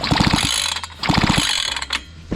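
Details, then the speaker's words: Fubag FPT 52 trimmer that won't start, with spark present. Two quick recoil pulls with no firing; the engine is flooded, fuel leaking from every gap, and a stuck carburetor needle valve is suspected. "Залить напрочь. Залить напрочь. Сейчас прочухаем. Вон течёт со всех щелей."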